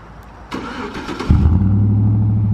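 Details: Chevrolet Silverado V8 starting after a Cold Air Inductions intake install: short crank, clean catch, then a smooth, low, steady idle with no ticks or stumbles, the engine running fine.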